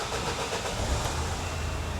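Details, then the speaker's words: Vauxhall Vivaro diesel van that wouldn't start: fuel system was chased first, but the real cause was the immobiliser not reading the key; after disconnecting and reconnecting the antenna it catches and settles into an even, steady clatter, starting normally. "Now it's starting because I play with the antenna. I disconnected and connected back and for some reason the antenna start to work again."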